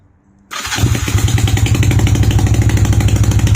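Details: Honda CB250 Nighthawk starting and idling after an exhaust leak repair at the header bracket and a fresh oil change: catches after a short crank, settles to an even idle of about three pulses a second, no puffing or ticking; normal idle.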